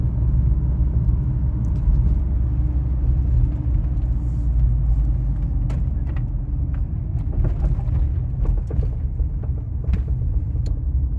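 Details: 2000 Toyota RAV4 clunking while driving: deep road rumble with occasional sharp clunks and knocks from underneath; not the sway bar, as its bushings and links were already replaced.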